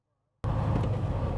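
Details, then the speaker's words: Truck with DT12 12-speed automated manual transmission accelerating: deep diesel rumble builds under throttle, then a short dip and recovery as it shifts up into second. Normal upshift. "So as I give it gas, obviously it's giving it RPM, but it's also trying to decide if it should shift or not."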